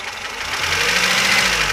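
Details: VAZ 2107 engine at short idle: uneven tapping knock over a hissy engine note; a knock is present, cause unclear.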